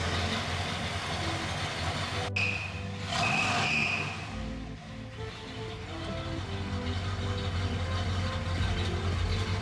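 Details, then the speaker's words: 1964 Mercury Montclair, Ford FE 390 V8 with cam and intake kit, first run in about 40 years: steady, even idle with a deep low rumble under background music; runs smoothly, normal idle. "We finally got this thing running. It was a pain to get the whole thing together, but we ended up getting the whole thing running and it runs really, really good."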